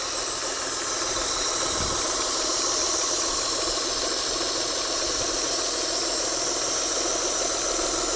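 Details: Mitsubishi Galant at idle: steady even idle with a constant airy hissing or flow noise near the intake manifold, source not pinned down.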